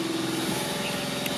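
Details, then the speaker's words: 1988 Daihatsu Hijet kei truck, 4WD, 550cc, 4-speed manual, about 23,000 km, just started cold: fast, even idle with a steady hum and no knocks or misses. A healthy cold fast idle. "So it's pretty cold right now, so it's idling high, but it starts right"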